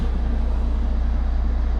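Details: 2019 Vauxhall Vivaro 1.6 diesel starting after an intermittent no-start repair, with no fault codes or warning lights: deep, steady idle with an even low thrum and no hunting or missed beats. Normal idle.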